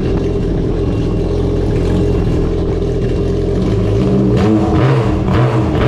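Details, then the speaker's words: 2021 Yamaha RXP-X 300 Stage 3 build, first start after valve spring and retainer replacement, with the intercooler off and oil primed to the supercharger. Loud, steady, rowdy roar with throttle blips and no knocking or rattles. Running normally. "yo that thing sounds rowdy man"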